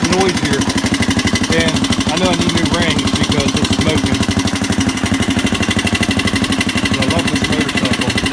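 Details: 1985 Honda XR200R four-valve single that smokes and needs rings: quick steady light tapping about three per second over the exhaust beat; on teardown rocker arms and camshaft found pitted and wavy, presumably from lack of oil.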